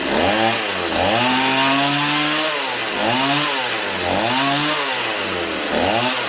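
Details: Stihl 028 AV Super chainsaw, warmed up, after carb rebuild, tach held by spark plug: swings between idle and high revs with lazy throttle response; low-speed needle likely needs turning out slightly for crisper pickup, target idle 2400–2700 rpm.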